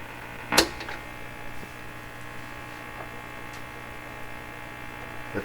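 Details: Canadian Westinghouse 683A three-band radio, first power-up after yard-sale purchase, fed by signal generator, slight motorboating noted; loud steady low mains hum, no station coming through; set essentially working.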